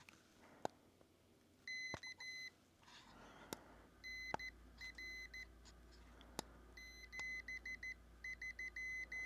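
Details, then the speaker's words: Newly built PicoKeyer automatic CW keyer kit for ham radio, playing preset codes through its very quiet small speaker: quiet high beeps in dot-dash groups with handling clicks between; normal Morse playback. "There's some preset codes in here already. And the speaker is very low, so I don't know if you'll hear it or not, but we'll try to get it on the microphone here."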